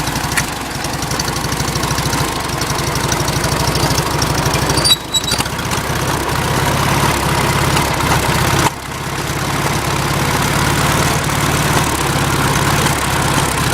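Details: Farmall Cub tractor engine at idle: it idles unevenly with irregular sharp pops through the low chug. The cause of the popping is unknown and the owner is asking for ideas.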